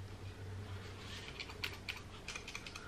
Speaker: hear that? Makes the same rattle, so nothing to do with that.